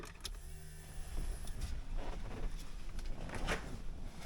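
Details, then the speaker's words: 1979 Porsche 924 with a replacement Bosch fuel pump and new lines, gas in the tank: key on, engine off, a quiet steady electric whirr as the fuel pump primes; pump working normally. "Sounds like the pump's working."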